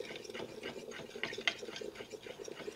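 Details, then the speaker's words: Italian-style 5-cup moka pot brewing Cuban coffee: an irregular bubbling gurgle with soft spitting pops and thumping as the coffee pushes through. When the thumping stops, it is probably done. "can hear the pot frothing away. When you quit hear it thumping, that means that it's probably done."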